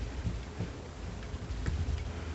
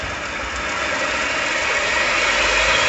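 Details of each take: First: Newly set-up 1 hp mini lathe whose headstock was adjusted so tight it barely turned. Dull, irregular low thumps as the spindle turns come from the headstock; the owner suspects the bearings, which should be tapered rollers, and plans to lubricate them and adjust the end play. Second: 1 hp mini lathe after headstock end-play adjustment, spindle bounce about half a thousandth: spins up smoothly to a steady hum, no knocking or grinding; reaches 1900 RPM versus 1700 before, adjustment a success.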